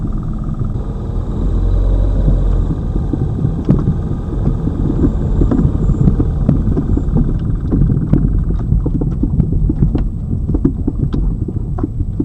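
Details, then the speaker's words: Lada Vesta Cross, old original right front strut (only the left was replaced under warranty), dashcam aimed at the right strut mount, mount insulated with rags, driving over bumps: sharp irregular knocks, louder on rougher road; the strong knock persists. "здесь же вот эта правая получается стойка амортизатора она старая здесь же у меня был сильный звук этот"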